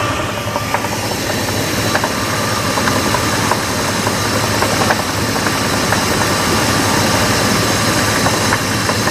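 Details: 2000 Jeep Grand Cherokee 4.7 V8 at rough idle: sharp ticks about three per second with a thin chirp and squeal above; upper-engine knock, cause unknown.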